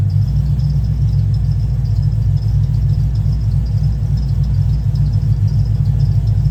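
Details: Cadillac CTS-V V8 tuned after heads and cam install: heavy, loping low burble about 3.5 pulses a second, steady; owner reports a pretty bad miss and won't drive it until troubleshooting.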